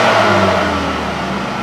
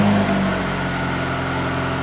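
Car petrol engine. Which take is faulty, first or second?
second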